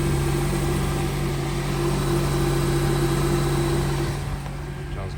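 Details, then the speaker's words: 2008 or 2009 Honda CR-V after catalytic converter replacement for code P0420, codes cleared: steady, even idle with a smooth low exhaust note and no puffing or ticking; no exhaust leak, normal idle. "and done. And she sounds beautiful. No exhaust leak."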